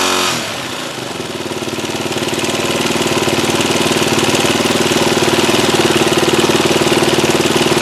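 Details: WR250R single with 26,000 km idles with a sharp, regular ticking rattle about three per second. It started after the bike was swamped in spring and the airbox was left undrained; it was also using some oil. Cause suspected, top end being torn down.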